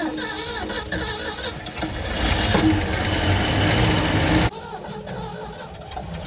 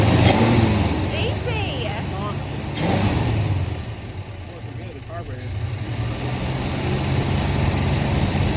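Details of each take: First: 1973 Ford F100, 302 Windsor V8, parked 16 years, first start after carburetor work: quick, fairly even idle patter that settles and keeps running, no knock, slightly smoky, rings expected to reseat; healthy. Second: 1973 Ford F100 302 Windsor V8, 3-speed manual, first start after sitting 16 years: idle hangs up high and uneven, revs drop back slowly after a throttle blip like a sticking spot; owner suspects the fuel pump, checks the accelerator pump.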